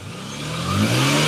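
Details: BMW 325xi after the 330xi tune, revved while the small and big aftermarket DISA flaps open. A crisp rev that climbs smoothly with no hesitation or flat spot. Normal revving; the DISAs work.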